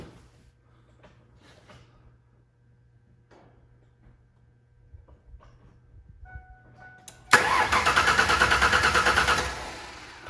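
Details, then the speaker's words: 2000 Ford Ranger 3.0L after an engine rebuild, with a no-start: the starter cranks at an even pace, about three turns a second, with no knocks or grinding; cranking sounds normal. "fine not making any funny noises sounds fine it's not making any funny noises"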